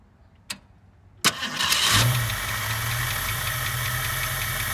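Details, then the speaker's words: 1967 Mustang convertible parked since about 1994, first start after adjusting the carburetor idle circuit: click, short crank, then catches and settles into steady idle; needs antifreeze; normal start and idle. "i know it needs uh antifreeze so anyway starts and runs that's progress"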